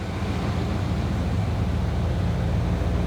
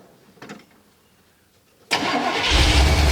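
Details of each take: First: 1979 Chevy Camaro barn find after a decade stored; low even idle after backing off the too-high idle screw half a turn, much better, timing still unchecked. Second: 1979 Chevy Camaro small-block V8, barn find sat over a decade, first start on fuel poured in the float bowl; cranks, catches and idles lumpy.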